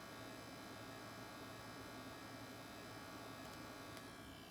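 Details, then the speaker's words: Sony PlayStation 5, launch unit: loud, steady chainsaw-like electrical buzz with a high whine, coming from the bottom rear, not the fan; owner suspects coil whine, audible from 8 feet, unconfirmed. "that's a pretty loud noise. And it's, as you can see, it was like a chainsaw type of noise. And a lot of people are saying that's basically coil whine."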